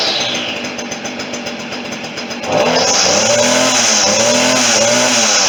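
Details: Stihl FS40C string trimmer, small two-stroke, started after tune-up and tightening (primed): buzzes at low idle, then snaps up to a steady high-pitched scream holding a fairly even pitch.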